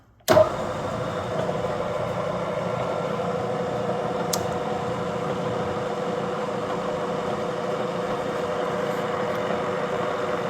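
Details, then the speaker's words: Bridgeport vertical milling machine head running in direct drive after one-shot lube added; steady, even mid-pitched hum with no rumble, knock or squeal; spindle sounds healthy. "Head sounds good."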